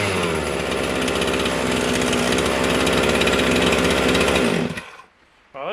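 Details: Husqvarna 257 chainsaw on a bench run after starter recoil repair and a modified Husky 55 clutch cover install: strong, even two-stroke buzz holds steady for several seconds before cutting off, with no misses or rattles; runs properly.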